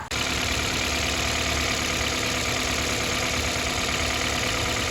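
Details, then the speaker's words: 2008 Toyota Corolla LE, 114k miles, idling with the accessory belt removed: steady, even idle and smooth hum with no grinding. The engine is healthy and the loud grinding is in the accessory drive; the owner hopes it's just the tensioner. "But if you take the belt off, the engine sounds like this."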